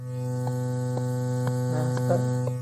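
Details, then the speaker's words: Bluetooth amplifier with the microphone held close: steady low buzzing hum with even overtones, a ground loop rather than a fault in the power supply. "Tadi ada suara inilah ya dengung. Iya, dengungnya iya. Terus ada ya kayak gini. Nah, ini ciri khasnya ini sebenarnya bukan dari power supply, bukan dari e maksudnya bukan"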